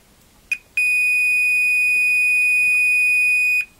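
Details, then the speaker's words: Tektronix TDS 340 oscilloscope repair, meter in diode mode on the right-side diode of a common-cathode pair: a couple of brief chirps, then a solid high beep for about three seconds; a dead short in both directions. "lo and behold that shows the dead short let's check it in the reverse direction still shows with that short"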